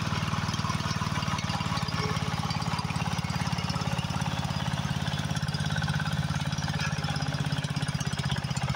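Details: Husqvarna YHT20K46 riding mower after a swap to a Briggs & Stratton 20 hp Intech engine, replacing the blown original, idling with the hood closed: fast, even low thumping, steady with no knocks or misses; normal running.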